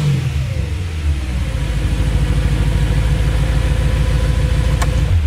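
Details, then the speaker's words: BMW E92 M3, about 900 miles, just fitted with American Racing headers: loud, deep, even cold-start V8 idle with a steady throb and no knocks or ticks; healthy, louder exhaust. "pretty loud cold start yeah"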